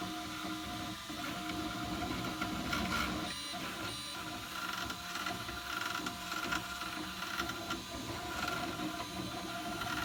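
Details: Ultimaker 2 Extended+ 3D printer humming through its moves with stepper-motor whine, broken by short dry creaks as the head changes direction while printing.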